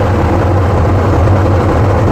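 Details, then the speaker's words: 1967 GMC C15 at idle, tuned rich, with ether sprayed around the intake. Deep, uneven rumble sags and nearly dies as the engine sucks the ether in. Intake manifold vacuum leak; needs manifold gaskets. "oh it's kind of bubbling around the engine is just like sucking it in so this thing needs manifold gaskets really bad"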